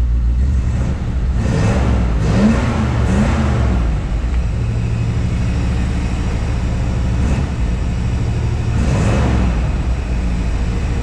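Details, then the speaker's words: 1957 Chevrolet 210 two-door sedan, frame-off restored with V8, throttle blipped at the engine bay: deep, smooth burble swelling cleanly on each blip, not obnoxiously loud, no knocking or ticking; healthy exhaust note. "Again, not obnoxiously loud. Just that nice sound of the late 50s, early 60s that you'd expect in a classic car."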